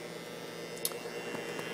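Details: Modified, overdriven variac fed through home-made ballasted power strip with heater as ballast to limit current; loud steady mains-frequency hum with buzzy edge from the core, angry hum at switch-on near 0.01 V before cranking toward about 204–206 V.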